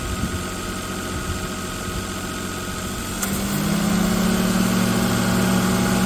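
Engine idles with a low, uneven drone; about halfway a steady low hum joins in and the noise grows louder, cause unclear.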